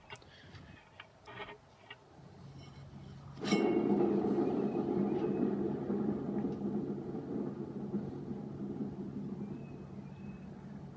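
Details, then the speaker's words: 42-inch rear-engine Snapper mower deck spindle spun by hand during rebuild. Rough, gritty whir that keeps spinning for seconds instead of stopping after about one turn; worn spindle bearing needing replacement. "i don't know if you could hear that or not but that is shot we're gonna need spindle bearings two new idlers"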